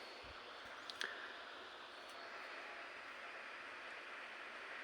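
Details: Chuwi CoreBook X Pro laptop under OCCT load test, CPU around 66°C: soft airy fan rush with a thin, steady high whistle running continuously on top; abnormal cooling fan whistle.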